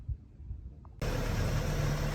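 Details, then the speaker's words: 1983 Toyota pickup, carbureted 22R, after electric choke coil adjustment. Cold start, one pump of the accelerator: engine catches at once and settles into a steady, even idle with no misses. Normal cold start. "Just started it. 1 pump of the accelerator is all it took. Sounds good."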